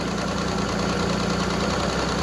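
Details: Evinrude E-Tec 90 outboard after EV diagnostics and injector 1 testing, having been in limp/safe mode with no active faults now: steady, even two-stroke burble at idle with no misses, knocks or hunting; idling smoothly.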